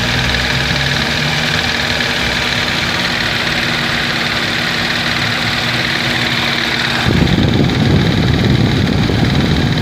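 Steady even idle with a rough low droning rattle that gets louder near the end; an extra noise whose source isn't clear.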